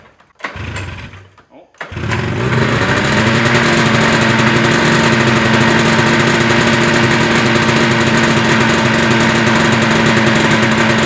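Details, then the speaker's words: Arctic Cat Jag two-stroke snowmobile after its clogged carb pilot jet was cleaned catches after coughs, then a fast, uneven burble loading up with raw unburnt fuel. Suspected long-rusted old plugs or old fuel; running rich. "I mean, there's a bucket of raw fuel. Dude, it's literally like, it just will not burn it."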